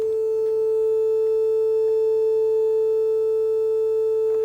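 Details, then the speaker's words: Telefunken Operette 6 tube radio with added Bluetooth module, 400 Hz test tone heard on the left channel only: sounds rough and buzzy instead of pure; the distortion disappears when two pins on the board are shorted, pointing to the stereo-to-mono wiring. "so I'm now um playing a 400 Hertz Stone via Bluetooth and you can clearly hear it only on the Left Channel and playing the tone and you can clearly hear the distortion"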